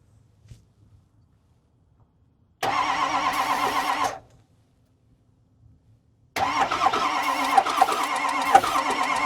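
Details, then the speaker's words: Non-running Ford 6.0 Powerstroke diesel that builds high-pressure oil, with a spare starter, ether and batteries not charged: two even cranking bursts with no catch, so it cranks but won't start; oil then found pouring from the crankcase breather. "But hey, at least we got it cranking over again, and we didn't have to spend any money yet."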